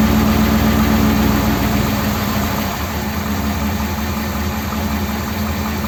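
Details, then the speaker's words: 1957 Ford Thunderbird V8 after the original parts were reinstated: steady, even idle with a regular low pulse and no stumbles or misses. The fuel level looks about right and it is running okay. "that's actually running okay isn't it"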